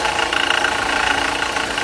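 Idling engine with a rough, steady whirring grind and faint high whine from a worn water pump bearing.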